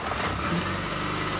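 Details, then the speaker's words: 2005 Chrysler Sebring, running after alternator check: short steady engine note, even smooth run without knocks or squeals; normal start, charging just over 14 volts. "and you can hear it start up"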